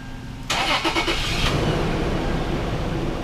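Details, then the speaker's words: Toyota 4Runner 4.0 V6 first start after replacing leaking head gaskets, fresh 5W-30 oil and primed oiling system: brief crank, quick catch, then smooth even idle; normal start, sounded good. "that sounded good I wasn't expecting it to start but hey let's uh try that again"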